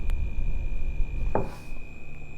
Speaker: This fan makes a really annoying high-pitched squeal.